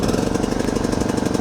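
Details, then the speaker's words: Dirty used riding mower ("jungle workhorse") just picked up, with fuel and oil checked. It fires right up with fast, even firing pulses at about twenty a second, steady with no skips or knocks. The engine and transmission work, but the brake does nothing and there is no deck belt. "Seriously? Runs like a top. That's impressive. Sweet. Well, first impressions, it fires right up. It runs fantastic."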